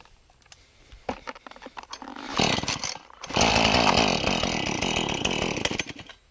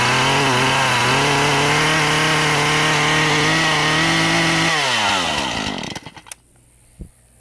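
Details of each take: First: Husqvarna 435 chainsaw, hot after running: several pull-start tugs, catches and runs rough about four seconds then dies; only runs on choke, stalls on throttle when hot, won't restart; spark, airflow, carb or vapor lock suspected. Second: Husqvarna 435 chainsaw with a hot no-start problem, running after the original coil was refitted because a replacement aftermarket coil failed. Outside it is about 80°F and humid. The saw holds a steady, clean high-pitched run without stumbling, then is switched off and winds down smoothly; it runs healthy.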